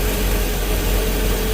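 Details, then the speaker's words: 2003 MerCruiser boat engine after no-start: once fuel added and pressure built it runs, deep even rumble with no misses or knocks; what looks like water separation seen in fuel. "but we built pressure and it runs now"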